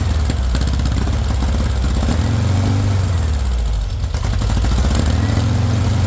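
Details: VW engine with straight pipe, first startup on starting spray: deep, loud note held at low revs with uneven sag, running only briefly; no fuel pressure, not drawing fuel on its own, owner suspects a bad fuel pump.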